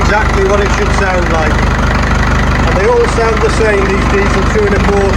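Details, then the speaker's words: Series 2 Land Rover diesel restarted on 3-year-old fuel after its first start in three years with a new starter motor. Hard, even, rhythmic rattle and knock with no misses, which is how these engines should sound: normal diesel idle. "You can recognize it from miles away. Brilliant engine. Built to last."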